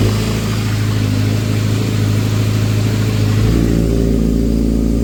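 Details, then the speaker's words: 2012 Kawasaki ZX6R four-cylinder after timing chain tensioner fix (bolts opened one click, then closed): cold-start timing chain rattle gone, engine runs smooth and even. "And I've opened these two bolts until I had one click, then I closed them up, and now the sound is gone."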